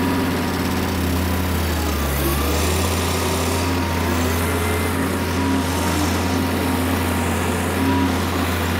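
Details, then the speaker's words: Kubota M5700 five-cylinder diesel tractor, about 60 hp, after a stalling fix: steady, even drone with no misses or surging. The fix replaced the fuel lift pump and fuel filter, cleared a fuel-tank obstruction and blew out the lines. It then drove a steep driveway successfully. "all right we made it all the way down and up that steep driveway I think I can call this one a success"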